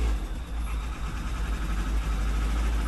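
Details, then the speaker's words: Weber-carbureted engine with electric fuel pump, cold start after sitting a couple days, with cleaned reused spark plugs: catches and settles to low steady idle with slightly loose beat; normal idle after cold start. "that is a cold start. That's probably a couple days of sitting."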